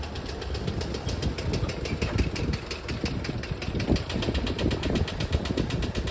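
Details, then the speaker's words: 1968 VW double cab transporter that sat 5 years, idling after being driven to the shop on a temporary gas tank: rough, lumpy idle with knocks riding over the rumble. The knock comes and goes, seems to disappear under engine load, cause unclear. "it still makes this knocking noise, but it's kind of intermittent. you know, it kind of comes and goes and it seems to go away when there's a load on the engine."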